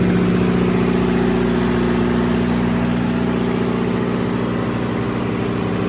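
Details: High school emergency backup generator during a simulated utility power outage, transfer switches closed on generator power and feeding load; loud, steady drone holding pitch; normal running under load.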